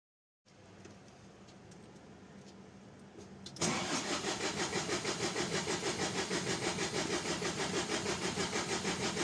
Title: Renault Truck Midlum DXI5 220dxi 5.0L 220HP Hard Start. Problem found : Fuel Filter Leak.